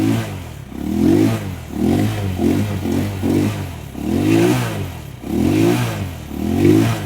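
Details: Rusi Macho 175 single-cylinder motorcycle that would not start because of water in the tank and carburetor and a bad spark plug, now repaired: revs up and down in repeated blips, picking up cleanly, running properly.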